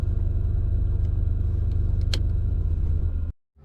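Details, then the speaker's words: Lexus LS430 air suspension compressor (behind passenger headlight, next to dryer) kicking on: heavy low droning rumble with loose throb, vibrating whole car; mount bushings totally collapsed, to be replaced (part 90389-06033). "that is the sound with the compressor can't even hear it from inside the car vibrates and shakes everything so we're going to take a look at those bushings and replace them"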